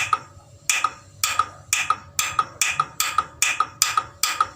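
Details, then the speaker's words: NIKO gas water heater's gas solenoid valve powered directly from its 3 V battery: crisp, evenly spaced clicks about twice a second, showing the solenoid is good; the igniter is to be replaced instead. "jadi bila dia ada respon bunyi cetakcetak berarti selenoit masih bagus"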